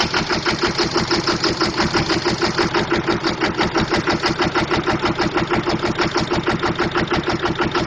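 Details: Diesel truck with a bad injector: loud, choppy idle with a hard, lumpy pulse about three times a second, like one cylinder misfiring.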